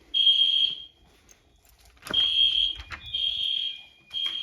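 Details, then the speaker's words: Genesis fire alarm panel system test after a pull station: high piercing alarm bursts every second or two at steady pitch, panel audible; the alarm keeps sounding until the panel is reset. "And normally in a building, if you're far away from the panel, you'll pull it. A few seconds later, the alarm will go off. But the Genesis does kind of mimic that a little bit."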